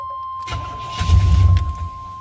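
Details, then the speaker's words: 1990 Chevy K1500 5.7 L carbureted V8, crank no-start, no fuel pump buzz heard: with starter fluid sprayed into carburetor it catches for under a second with a low rumble then dies; fuel delivery fault. "related all right so you heard that it started up for a quick second let's try it again"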